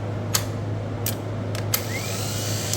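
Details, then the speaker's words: 1958 Chevrolet Biscayne straight-six, sat 40+ years and previously seized, now freed; starter refitted with proper bolts gives a steady low hum with a few clicks, spinning freely at even speed, though spin may be weak; starter is good. "Yeah, it's spinning. I just don't think that's got enough of a spin though. Turn that motor over. Anyway, that's how it is working. The starter's good."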